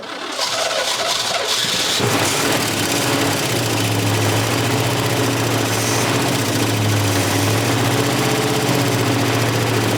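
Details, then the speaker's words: 1965 Chevy pickup bought as parts truck, on start: catches after cranking and runs with harsh metallic top-end clatter, worst on initial start; cause unknown, shut off. "go and it's clattering really bad we should probably shut it off there you go it was just the initial one that really it clatters bad"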